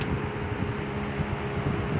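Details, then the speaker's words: Dayton 3-speed reversible 22-inch box fan, model 4C425, with a General Electric motor, on medium speed. A steady low humming-blower sound with a soft rush of air and no knocks or rattles; it runs smoothly. "that's medium it sounds pretty cool this sounds pretty cool it sounds like a humming it sounds like a humming blower"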